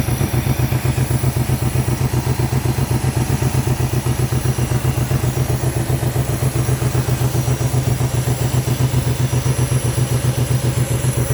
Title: L322 4.4 V8 random misfire due to coil packs 3 & 7 faulty ,